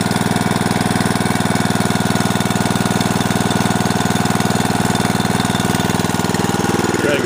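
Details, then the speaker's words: Snapper riding mower: steady even thumping idle at about four pulses a second, no misses, knocks or hunting; nice smooth idle, normal. "it up here and their clothes they got nice smooth idle good"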